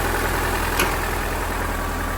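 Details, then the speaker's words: 1986 Dodge Daytona Turbo Z Shelby turbo four, rebuilt engine, after an idle adjustment. Idle is low but steady and even with no stumbles or ticking: a normal smooth idle. A loose plug is noted on cylinder two. "well that's pretty darn smooth right there OHP we've also got a loose plug here cylinder number two it looks like she's sitting there running pretty solid right now real"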